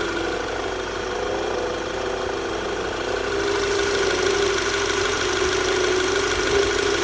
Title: VW Tiguan knocking noise